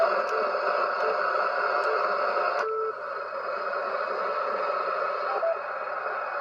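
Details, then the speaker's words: HF receiver with a constant raspy buzz and faint pulsing texture at the same level wherever tuned, including 160 m; outside interference, source unknown. "it's everywhere it's literally freaking everywhere that's the center right there no matter where i go that noise is there"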